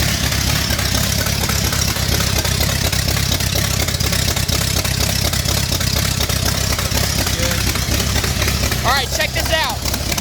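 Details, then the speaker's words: First start of a 5-liter V8 swapped into an MG in place of the 1.8-liter, after adding fuel: loud and throaty but lumpy and uneven, wavering as if about to die. Rough untuned idle; owner suspects timing or running out of fuel. "the engine runs the engine runs it's a v8 and mg and it sounds just throaty and awesome so much better than the little 1.8 liter that was in there"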